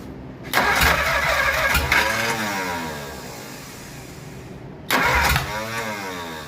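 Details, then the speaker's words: Replacement engine for 1947 Plymouth Special, sat since 1975, gas poured in: two cranking bursts with scattered pops that never run; valves sticking open, timing also suspected; head later removed. "what is it both valves are staying open at the same time"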